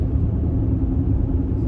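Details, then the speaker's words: 2014 Mercedes-Benz GL350 (X166), about 93k miles, at road speed. Worn Michelins are the wrong size (275/55/20 instead of 255/50/20), worst at left rear; rotating them brought no change. A steady deep roar; owner hopes for tires and alignment, wheel bearing not ruled out. "But anyway, so the roar from the tires. And I want to say that these pauses are somewhat deliberate so that you can hear it too. I am hoping that it is just tires and an alignment."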